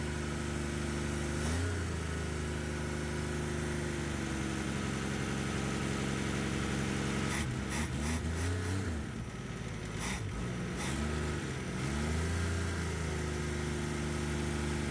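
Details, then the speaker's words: 1962 Ford Falcon with a swapped-in six-cylinder engine, after correcting an ignition trigger set 180 degrees out: even idle that climbs cleanly through throttle blips and settles back, no misses. Much smoother than the previous engine. "more smooth than the other one. Oh, it's so much smoother."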